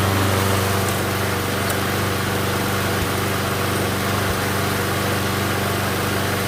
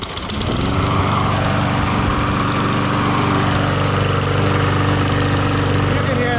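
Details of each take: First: MTD Gold mower with a Briggs & Stratton Quantum engine, after pull-rope repair. The engine holds a steady, even drone with no misses or surging and runs good. Self-propel is intermittent and only engages when the cable is grabbed by hand; stripped front wheels are suspected. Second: MTD Gold mower, Briggs & Stratton Quantum engine, after repair: single-cylinder running fast and steady with loud, raw exhaust bark; muffler only partly fixed because its bolt was broken, noticeably loud but runs acceptably.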